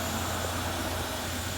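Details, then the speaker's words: Haas VF4 milling machine after fixing spindle noise by removing a hose so the pin no longer contacts: tool change cycle with steady even hum, piston moving fully up and down, no scraping or grinding; normal tool change. "See, all the way up. So that's good. working just fine without that hose right there. Now that piston is going all the way up and all the way down."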